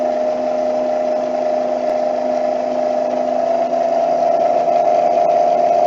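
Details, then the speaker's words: NordicTrack C2300 treadmill drive motor running alone with the belt removed, isolated from the front roller: a loud, steady high whine over a fainter low hum at one pitch. A noisy, worn drive motor due for warranty replacement. "that's very noisy"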